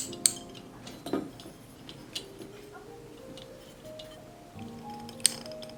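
A few crisp, separate clicks as the knob steps through its positions, with soft music behind; the switch indexes cleanly.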